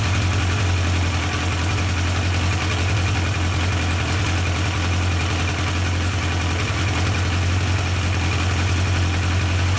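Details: Yamaha 1200 FJ four-cylinder after carburettor synchronisation, with vacuum readings now equal: a smooth, even low idle with a steady beat and no stumbles or hunting, the cylinders well balanced.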